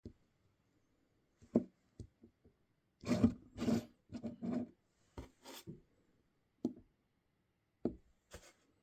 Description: fault with folding fingers, movement in the hinge causes knocking sounds which results in videos with loud knocking over the audio.